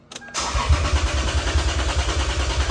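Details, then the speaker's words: 2003 Lexus IS300, hot engine: click then starter cranks with rapid even chugging but never fires; fuel pressure about 48 psi (spec 50–55), injectors pulsing, fuel smell; owner suspects an injector stuck open dumping fuel, not confirmed. "it would crank crank crank no start but I smelled gas this morning"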